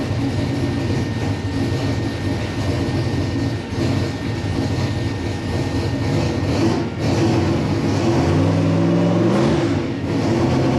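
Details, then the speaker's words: LS-swapped V8 "Bob" just converted to methanol, idling on first startup while warming up: deep steady burble with a couple of light blips, even pulses, no stumble; normal idle. "sounds pretty good all right hopefully you can hear me but we're trying to let it warm up a little bit get through the warm-up cycle"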